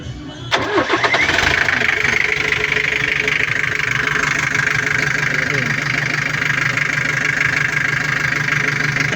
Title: Isuzu 4ba1 engine troubleshoot hard start #like #subcribe #comment